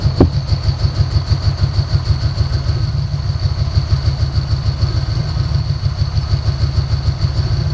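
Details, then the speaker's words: 1990 Ford Mustang 5.0 V8 with a cam, just revived after sitting four years: a rough, lumpy idle misfire, pulling plug wires to find the cylinder. Owner suspects bad injectors after vacuum-leak spray checks. "i'm going to figure out which cylinder is missing so let's uh crank this thing up and start doing that"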